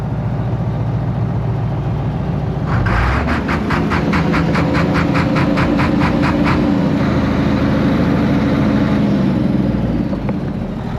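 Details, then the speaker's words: Case 1175 tractor, parked 15 years, idling after revival: a steady low diesel rumble with an even beat, no knocks, misses or rattles, a healthy idle; oil pressure reads good, even curiously high. "I'm pleased. This thing sounds great. Got good oil pressure, like way too good oil pressure, which is curious."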